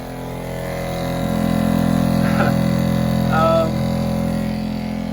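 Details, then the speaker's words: Shurflo 2088 diaphragm water pump after silencing with flexible hoses on inlet and outlet and a more flexible inlet hose: a steady, loud droning hum with a buzzy low pulse, no quieter than before; loud pump noise. "I don't think it's any quieter. Let me take a decibel reading."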